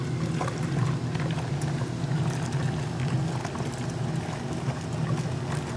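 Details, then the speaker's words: 1978 Maytag A408S (three bath towels) and 1989 Maytag A482 (two pairs of heavier pants) agitating side by side on Warm/Cold Regular Wash, 8-minute wash, small load level, detergent pods: even sloshing and churning with a steady low drone; towels roll over more freely, pants still scrubbed; normal agitation. "the towels definitely roll over better there's two three of them in here and they're a little bit thinner so they're able to move around a little more freely at the small W load level than the pants but the pants are still getting scrubbed nicely"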